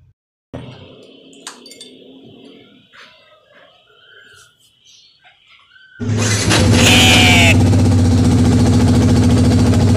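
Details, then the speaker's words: Yamaha Vixion starter motor cranking: raspy, crackling grind over the cranking. Usual causes named are dirt built up on the starter armature and magnets, or worn brushes. "Di situ ketika di starter itu ada suara ngik nguk pada dinamo starternya Jadi kemungkinan itu bermasalah pada dinamo starternya"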